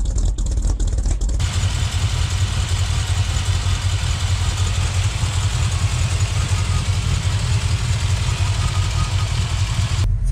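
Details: 1978 K25 with freshly rebuilt engine, after its first cold start at about -8°C: low, steady idle with an even beat and no knocks or stumbles while warming up; sounds healthy.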